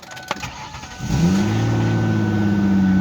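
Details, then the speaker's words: 2003 Ford Taurus SEL, ~215,000 miles, check engine light on: cranks, catches, settles into low idle that wavers unevenly; rough idle attributed to idle air control fault (overspeed error). "as you can see the check engine light stays on let me close the door here and the idle is is running rough as you can tell okay and it's not normal that it runs like this"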